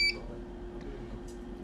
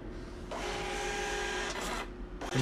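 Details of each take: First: as you can see it's still beeping it's closed very well tightly there's a paper in it at the right position by so beeping Second: Birch receipt printer, driver installed, printing a Windows test page after a beeping error was fixed by closing the lid cover: steady buzzing whir of normal printing with no error beeps.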